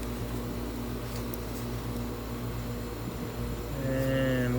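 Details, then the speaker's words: Tempstar heat pump outdoor unit, with a complaint that the outside fan ran but gave no heat: steady, even low hum of the compressor running normally; the indoor blower was not running, and a bad fan capacitor was found. "looks like we've got a temp star okay i think i hear the compressor"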